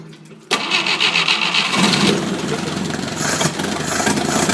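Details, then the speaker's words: 1972 Atomic 4 marine gasoline engine from a Cal 29 sailboat, ~1,000 hours, cold January day, with choke: starter whirs briefly, catches quickly and runs steady; normal cold start. "It, like I say, runs very well. Starts pretty quickly. Obviously, give it a little choke."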